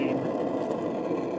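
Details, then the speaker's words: RV propane refrigerator burner lit first try after cleaning, fuse check and hard reset: steady, soft rushing roar with no popping, sputtering or flutter; burning evenly, normal operation. "and whoa, first try. You hear that? That's the sound of a beautiful propane"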